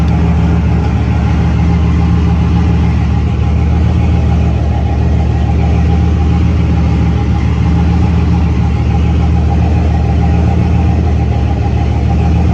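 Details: C6 Corvette, built LS3 with big turbo (about 88), air-to-water intercooler, manual, restarted on Holley EFI after a quick tune (about 1% closed-loop correction at idle, AFR on target): smooth, even low idle rumble, no knocks or misses; healthy.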